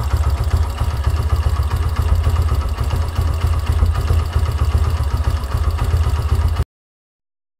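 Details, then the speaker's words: Yamaha YBR125 single-cylinder, CV carburetor, warmed up by a 20-minute ride: idle mixture screw at 1.5 turns out gives low, uneven thumping that sags, stumbles and cuts out, engine barely running; lean idle. "can hear that the engine is barely running at 1.5 turn."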